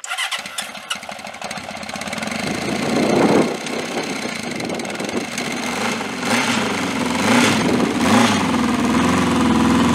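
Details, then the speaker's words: Vintage motorcycle, cold start after fuel turned on; catches after a few cranks and settles into steady even idle, no knocks or misses, sounds beautiful: normal cold start and idle. "sounds beautiful that's cold start okay"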